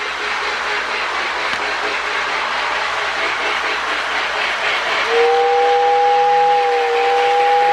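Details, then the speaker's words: Marx Sound-O-Power tender behind custom shortened Marx 999 with 1666 motor, bad Marx board replaced by Lionel early steam sound board, pulling a train; steady chuffing about two per second, whistle near end; sound unit working normally. "a warm white LED sound of power tender sounds good with that LL board in it"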